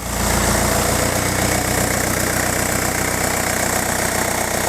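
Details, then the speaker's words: Diesel car before a timing belt job, started after a crank no start. Diesel clatter at idle with a slightly uneven, stumbling beat; many air bubbles are visible in the diesel fuel circuit. "Donc on peut constater qu'il y a pas mal de bulles d'air dans le circuit gasoil. Je vais vous montrer ça. Hop. Là ici il y a pas mal de bulles d'air."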